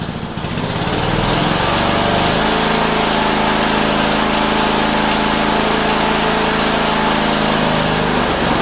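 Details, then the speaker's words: Honda HRU196 mower after a carburetor clean cured a long-standing fuel restriction: the engine picks up quickly and holds a smooth, strong high-speed drone with no surging, running harder than it has in a long time. "you know that sounded really nice better than has for a long time and it ran up high it actually ran harder than what I thought"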